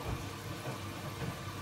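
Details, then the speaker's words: Bosch Serie 4 washing machine, new, during wash: soft water rush over low hum, motor barely audible, mainly clothes sloshing, detergent dosing ball clunking around; no grinding; very quiet, normal. "okay we can see it's doing its thing it's very very quiet I'll be here the motor all we can hear is the clothes sloppy them out really"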